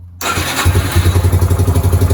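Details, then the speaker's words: Restored Yamaha YBR 125 single, new air filter, spark plug and battery, electric starter unused for 2 years; ignition on, fuel pump primes, brief starter whir, then it fires at once into an even idle of about eight beats a second. Normal start. "Et maintenant regardez, donc on a un contact, on entend la pompe à essence qui s'amorce et le démarreur"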